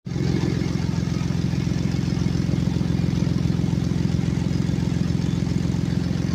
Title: customer States exhaust leak on a 2016 Ford explorer